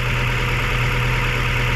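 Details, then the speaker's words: Mazda 3 after top overhaul (done following overheating), idle not dropping and no longer overheating, but the owner complains of very strong vibration: steady deep idle hum with a heavy low throb and no misfire stumble; injectors and coils checked, no vacuum leak found. "nagtatak kayo mayari Bakit ganyan sobrang ano sobrang lakas ng vibration so Yan po ang hahanapin natin Bakit nag-vibrate siya ng ganito kalakas"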